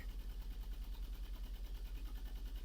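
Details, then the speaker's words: 2002 Toyota Yaris with engine management light on and slight exhaust smoke: deep, lumpy, tractor-like exhaust idle pulsing about eight beats a second, uneven from a misfire. "this car has a rough idle sounds like to tractor R idle sounds like to tractor that's a one symptoms of misfiring"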